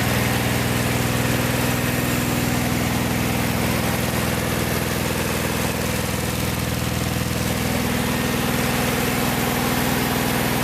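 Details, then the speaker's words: Vintage VW air-cooled flat-four from a 1956 Beetle barn find (not original engine), first run after 23–24 years stored, after carburetor work: steady even idle with soft regular pulse, no knocks or rattles; runs smooth and healthy. "it runs really smooth uh no knocks no rattles fires right up with one or two cranks and it's fires up so nice engine"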